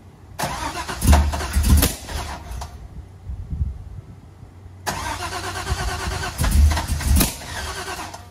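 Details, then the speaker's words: 1985 Camaro Z28 with LS swap and 5-speed, first start attempt: rough cranking with loud low thumps and pops, backfiring and misfiring, no steady run; cause was crossed ignition coil leads on cylinders two and eight; flooding also suspected. "in one of the clips you're going to see it's about 2 3 minutes long of us trying to start it and it wouldn't start and it was backfiring and that's totally on me"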